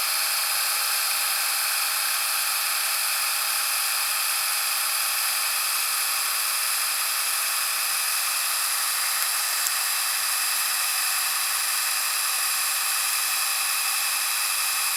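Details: Panasonic SA-HT820V VHS VCR/DVD combo, fast-forwarding a tape to the end in about 50 seconds: a steady high-pitched whir that holds level without scraping or slowing; normal fast-forward.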